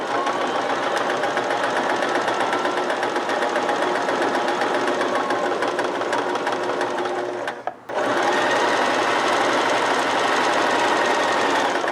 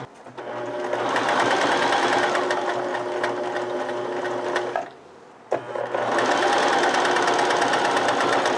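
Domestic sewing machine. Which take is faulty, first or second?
second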